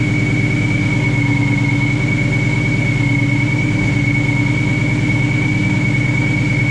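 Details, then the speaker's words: Mustang 4.6 V8 just fitted with a Procharger supercharger, upper coolant hose and air filter not yet finished: steady, even V8 idle with constant high supercharger whine, no knocks or misses; normal idle. "We started up yesterday just to confirm. Oh, you guys can hear how she sounds. She sounds amazing."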